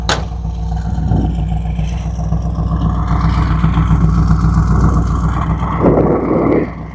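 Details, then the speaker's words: Cold idle of a '69 Chevy C10 big-block V8 with Holley Sniper 2 EFI, after ignition wire and rotten-fuel problems; not warmed up: deep steady idle, slight uneven lope, no knocks or misses; normal. "cammy right now it's not warmed up but I just had to share"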